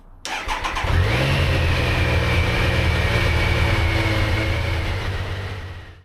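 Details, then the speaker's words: Triumph Sprint 955 motorcycle after shims corrected low compression on cylinders 1 and 2: catches after a short crank, revs and settles into an even beat on all cylinders; normal start and idle. "It starts. It doesn't sound like the do-do-do. It sounds do-do-do-do-do-do. Yeah, mint. So I'm over the moon that it now doesn't sound like it's got no compression on 2 cylinders."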